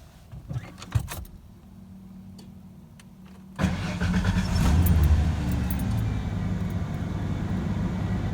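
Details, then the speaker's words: 1994 Ford F-150 4.9L straight six, 5-speed manual, previously rough cold-start idle, after idle air control valve replacement: key clicks, quick catch and steady, even, smooth idle: normal start and idle. "nice and smooth start well seems like that should work well I'm glad the truck is running nice and smooth"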